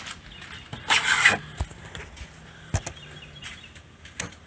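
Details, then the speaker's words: Newly installed White Rodgers 500 amp continuous battery solenoid on a Class A motorhome, generator running, shore power unplugged: sharp, irregular clicks over a faint low hum, the solenoid working normally. "you hear that clicking noise. That's the solenoid doing its job."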